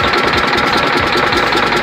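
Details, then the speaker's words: Detroit Diesel Series 60 11.1 in Freightliner FLD120, cold after hard start, bad injectors: uneven idle with rapid sharp knocking clatter, running on about 2 cylinders per exhaust-heat check; knock cause unconfirmed, owner plans injector removal. "Yeah, but I got this damn knock though, man."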